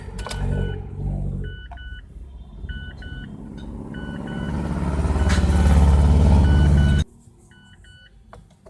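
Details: Mazda 3 with no check engine light cranks with a steady low chug for about seven seconds without catching, then a chime; hard starting first thing in the morning and after a five-minute stop once driven, blamed on a clogged fuel pump strainer and fuel filter.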